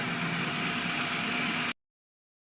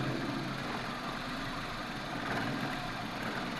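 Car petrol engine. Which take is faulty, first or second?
second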